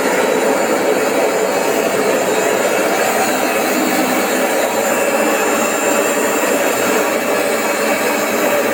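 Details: AEG Öko Lavamat 4100 washer in a spin test at 800, 900 then 1000 rpm: loud steady jet-engine roar at full spin with no beat; worn drum bearings.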